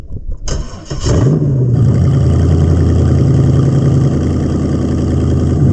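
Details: 1999 Corvette LS1 V8 pallet drop-in kit with about 154,000 miles, with its own harness, ECU and fuel tank: starter cranks briefly, engine catches with a short rev, then settles into a steady, even idle; normal healthy idle.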